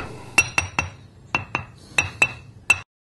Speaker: now that same stone only this time with a crack notice how dead the sound is there's no ring to it